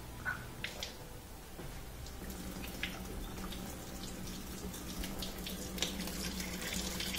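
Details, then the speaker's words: Portable dishwasher after clearing debris from the drain tube with a wire: rushing, gurgling water over a low pump hum, then steady whirring of an empty sump spinning air; draining quickly and normally. "we can hear that whirring sound is is a empty sump that means the water has all been pushed out of the sump area down at the bottom and it's just spinning air"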